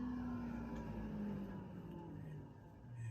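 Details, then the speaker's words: Planar diesel heater in a Turtleback Expedition trailer, thermostat set to 59 degrees, just switched on: steady fan whir with a tone sliding down in pitch as it spins up. Normal startup cycle. "you can hear, going to go through its startup cycle. And we should start seeing something happening here."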